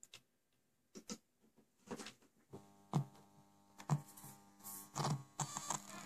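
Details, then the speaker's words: MP3 module powered from a tape deck's DC motor power supply feeding the deck's amplifier and speakers: steady low buzzing hum with scattered clicks on the audio output, suspected ground/audio ground problem. "However, if we do that, we'll get a surprise."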